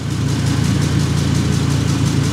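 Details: 2005 Ford Super Duty 6.8L Triton V10, cold start during carbon monoxide testing because the owner suspects exhaust fumes in the cab: a steady, even low rumble with a smooth regular firing beat and no ticking or puffing. A normal idle.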